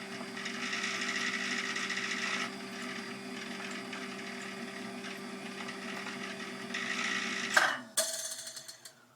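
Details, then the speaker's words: Davey D75A1 sump pump running after float switch kicks in: thin steady whir with faint irregular ticking, then a clunk and wind-down; pumping very, very slowly, owner suspects air lock/air in line, possibly spinning backwards. "It's very, very slow."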